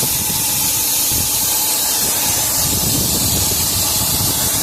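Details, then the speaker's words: Isuzu NPR/NRR cab-over truck with 5.2 diesel, engine off, under a charge air cooler test kit. Loud continuous hiss of escaping air where the intake pipe meets the flange, a boost leak causing loss-of-boost check engine light and derate. "Yep, that's where it's leaking, right there. Right where the intake pipe goes in."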